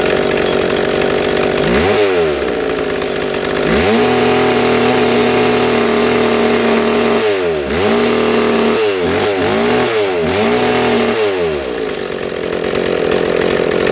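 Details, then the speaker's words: Two-stroke chainsaw with its idle screw being adjusted: a fast buzzing idle stays high between sharp throttle blips. Idle is set too high, and the screw is turned counterclockwise to slow it. "so as you can see you know there's Shane was going fast and trying to counterclockwise to slow it down"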